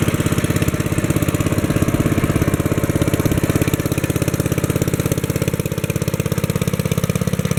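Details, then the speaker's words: Kohler single-cylinder engine on a 1964 Wheel Horse 704 after a rod knock repair (crankshaft still 0.002 in out of round): smooth, even fast idle, no rod noise, only lifter tapping and belt flapping against its guard; normal. "don't hear any rod noise now i can hear the lifters tapping and i can hear the belt flapping against the belt guard that sounds like normal"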